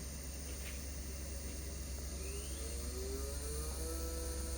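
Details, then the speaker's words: Three-phase motor on a VFD driving a Precious Plastic style extruder auger: a thin whine climbs in pitch as frequency is raised past 10 Hz while the motor stops turning; the motor stalls and is weak above 10 Hz. "it sounds like you know an airplane taking off or something rare you can see the motor is completely stopped now and when I turn it back down is when it actually starts moving"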